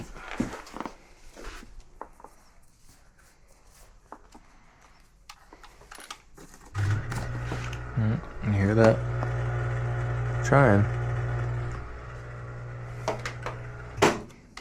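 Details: Kenmore (Whirlpool) front-load washer that wouldn't spin or drain; the drain pump filter sits behind the bottom kick panel and was extremely clogged. Low hum rising for a few seconds with little water moving: drain pump straining from clogged filter.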